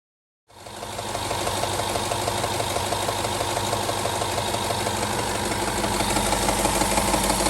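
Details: 2011 Range Rover HSE 5.0 naturally aspirated V8 at 125k miles, starting and idling with a steady metallic rattle from worn timing chain tensioners, before tensioner replacement.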